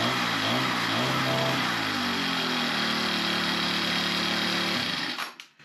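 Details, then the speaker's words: Small engine after new fuel line and fresh gas, long unused: buzzy engine hunts up in pitch, races a bit high, then suddenly dies near the end; surging and cutting out, owner thinks diaphragms need more run time to adjust. "That one there I think needs to run a little bit longer. It's a little bit on the high end. It acts like it's cutting out."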